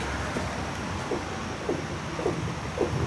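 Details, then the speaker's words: SS, one corner pushed down by hand on the bumper: dull clunks roughly twice a second, each stopping abruptly with little travel. Owner suspects a bad shock; nothing obvious was found underneath. "you hear that any of that clunk it just stops abruptly it's not even moving that much"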